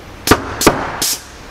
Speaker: that's something we're hearing the bang of the hydrogen it's burning so fast it's making a little bit of a bang for sure